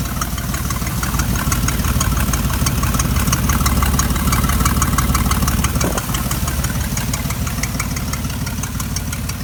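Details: Steady idle on a 1993 Chevy 4.3L V6 with a fast, even tick about three per second riding over the engine; ticking at idle, possibly an exhaust leak.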